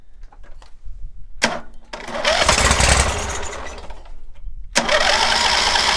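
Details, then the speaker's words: Cub Cadet 1641 lawn tractor engine cranks, catches, dies and refires in ragged bursts, stumbling and loud as it leans out, lean backfire from the carb; owner suspects fuel starvation from blocked fuel line or weak fuel pump, unconfirmed. "I saw it lean backfire out of the carb skidoodle. He just blew through a fuel line. It was hard to blow, and then when he blew through it, well, it became easier, so he thought he cleaned one out. The thing is loud when that thing starts leaning out."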